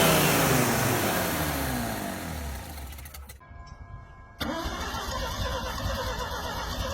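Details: Mazda RX-7 first start after carburetor rebuild with homemade gasket: starter grinds, engine catches after a short pause, then settles into an uneven, lumpy idle; runs really rough, carburetor still needs tuning.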